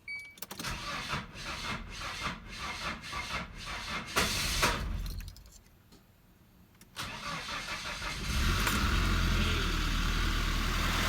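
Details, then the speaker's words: 1995 Nissan Hardbody KA24E, first start after freeing a frozen engine and head gasket and timing chain work, vacuum lines disconnected: cranking, then catches with quick light ticking; valvetrain noise from worn rocker arms, likely little top-end oil. "Wow but that's a valvetrain noise that I was expecting the rocker arms on this thing ain't the best"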